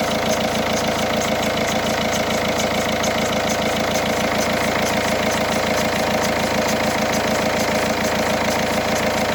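Cold diesel idling with a steady clatter and a faint regular tick riding on it, about two per second; source unclear, maybe belt or bearing.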